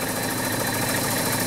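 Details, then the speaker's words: 2004 VW Touareg 3.2L VR6, towed in for no power, misfire codes cylinders 4–6: rough, uneven idle with a lumpy chuff; coil 5 blew the coil fuse, and with it left unplugged and the fuse replaced the engine runs better. "clearly it's number five coils are problem go ahead and plug in this one and replace the fuse again as you probably hear you start running a lot better"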